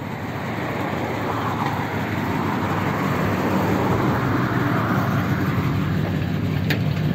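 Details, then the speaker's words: Ford F1 pickup V8, freshly fitted with French heads and almost no miles, on one of its first drives: steady deep roar pulling hard under full throttle over road noise, smooth with no knocks or misses; only tiny puffs of smoke while rings bed in. "good when you when you floored it yeah it seems alright doesn't it"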